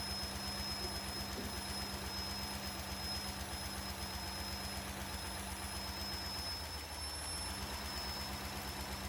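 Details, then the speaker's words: 1998 Cadillac Seville STS Northstar V8, revived after hydrolock and freezing with blown head gaskets, freshly oil-changed, idling smooth with a hissy wash and thin high whistle from a bad vacuum leak, heard low on the engine. "we have a pretty bad vacuum leak on it I can hear that where that vacum"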